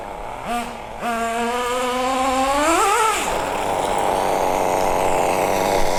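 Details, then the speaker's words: MP9 nitro RC buggy after the high-speed needle, leaned too far until it starved, was richened back: crisp rising wail, revving cleanly from idle to full song and fading off. Pulls strong and clean, though the low end is now slightly lean. "We'll give a bit back, and I reckon then we'll be rolling. We're flying like a kite. Woo! Flying!"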